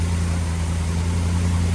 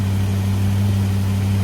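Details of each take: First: Big block Chevy running on a used lifter over a wiped-out flat tappet cam lobe, warming, oil pressure just under 70; deep, steady idle with no ticking or clatter, valvetrain quiet. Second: Warm big block Chevy running on a used lifter over a wiped-out flat tappet cam lobe, over 20 minutes in, good oil pressure, temperature at the thermostat; steady deep idle with a faint puffing from a small exhaust leak, no valvetrain noise.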